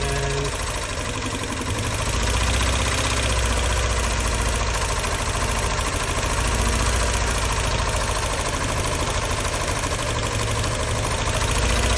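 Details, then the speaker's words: 2001 Mini Cooper R50 petrol idling with an uneven, lumpy beat; pulling leads isolates the dead cylinder: number one, no injector pulse and zero compression, after plugs, coils and HT leads were checked. "this one is definitely not doing anything so this is more or less how you can find out which cylinder is satisfire"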